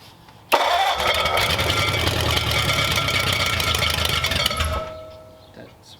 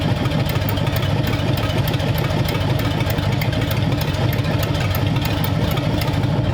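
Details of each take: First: Freshly built hopped-up flathead for a 1932 roadster, first start: engine catches with a harsh metallic whirring grind that cuts off as it drops; starter not disengaging from the flywheel. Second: Freshly built hopped-up flathead for a 1932 roadster, about 10 minutes into first running, oil pressure around 70 psi, temperatures 170–177: steady, even idle with a quick, regular exhaust beat and no knocks or misses; minor fuel seeping at seals.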